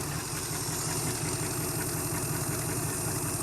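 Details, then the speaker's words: 1971 Chrysler Newport 8-door with 440 V8 idles steadily after a cracked block was sealed with epoxy; no knocks, misses or ticks, though run without coolant and getting warm, smoking. Normal idle. "Fart up. Ooh, runs good. Wow, that went much better than expected."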